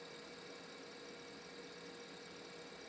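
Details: Noisy laptop hard drive being tested in an EZ-Gig external adapter: a faint, steady high-pitched whistle over a quiet spinning hum with no change in pitch; the drive is starting to die.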